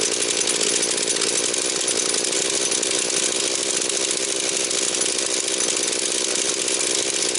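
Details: Husqvarna 240 chainsaw, mixture leaned to 2 and 1.75 turns, idle raised: high steady scream held at full revs, no stumbling or surging, fast rev pickup and drop, no air leak. Normal running.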